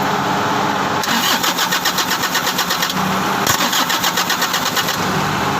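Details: 2012 Toyota Grandia: two long cranking bursts with a steady starter chug of about four beats a second, but the engine never catches. It cranks but won't start.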